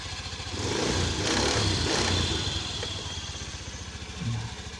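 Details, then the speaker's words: Honda Beat scooter that would not start or died suddenly, after repair: small single idles steadily with light blips, no misses or clatter; runs cleanly. Normal idle. "Oke nyala Hai HP Smartfren enggak ada kendala sama sekali dan lancar"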